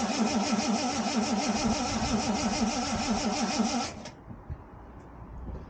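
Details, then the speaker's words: 1979 Ford Capri Mk3 3.0 Ghia manual, barn find unstarted for about 20 years, carb fed from a jerry can; starter churns about three beats a second for four seconds without firing, battery struggling, cranking slowing; owner suspects low voltage. Cranks, no start. "didn't want to start, wasn't even offering. Here's the same thing from the back. You can hear the battery starting to struggle, and it's not cranking the engine so speed as it was."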